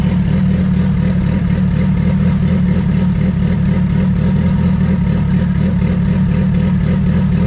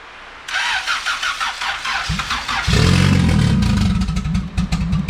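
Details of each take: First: Turbo D16 Honda EF hatch, GTX3576R turbo, first start, while ignition timing is set: steady even idle around 1000–1200 rpm with loud exhaust drone, no misses or hunting. Normal idle. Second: Turbo D16 Honda EF hatch, GTX3576R turbo, first start: long uneven cranking with throttle held open, then rough catch and lumpy idle. MAP read zero and coolant-temp correction dumped excess fuel. Hard start from over-rich fueling.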